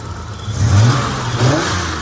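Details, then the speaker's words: Holden VL RB30 six-cylinder blips smoothly and settles with no stumbles after cleaning the airflow meter with contact cleaner and carby clean down the throat; misfire fixed. "I actually just finished using the no contact cleaner to clean the airflow meter and a bit of carby clean straight down the throat of my RB30, and now no more misfire."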